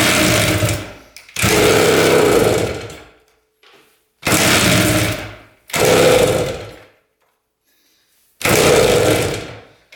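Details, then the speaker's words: 1973 Harley-Davidson Aermacchi TX125 two-stroke, carb cleaned, premix fuel, on choke, kick-started; owner worried about low compression. Repeated short bursts of firing, each dying within seconds after a kick; catches but won't keep running. "I'm a little worried about the low compression. So, hopefully it's enough to start this thing."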